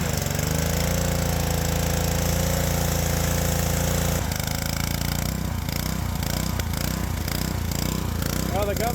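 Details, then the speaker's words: Small engine on a power washer at the wand's minimum-flow setting, steady at first, then rising and sagging over and over as the governor hunts; a carburetor fault is found. "governor apparently is not too happy well here we are again going through the tear down at Hyper Speed I determined something's wrong with the carb"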